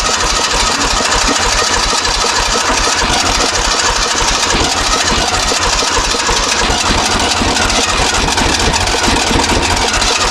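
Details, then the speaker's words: 1970s Kubota L1500 two-cylinder diesel tractor, sat about 20 years, seemingly low compression: fast steady cranking with uneven puffs, trying to catch but not running; owner suspects it simply needs diesel. "Yeah, it wants to. It really probably just needs some diesel in it, though."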